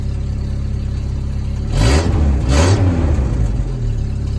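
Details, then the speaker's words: Chevy S10 drift truck in neutral after a tune-up with new plugs, wires and coil; a settled idle, then two quick clean blips back to a steady idle. It sounds better than ever since the owner bought it. "Hey, yo, this truck ain't never fucking sound like that since I bought it."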